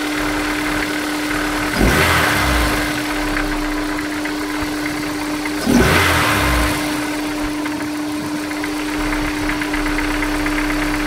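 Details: Honda S2000 at cold start idle with two short throttle blips: steady hum, a faint knock possibly underneath; owner suspects rod knock, not confirmed.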